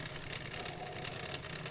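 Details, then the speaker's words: 20-year-old Hotpoint 6834 dishwasher that was not draining, drain pump cleared and reconnected: steady, even motor hum with light watery whirr, no knocking or grinding; drain pump now turns freely. "see if the pump impeller turns there we go that is turning now"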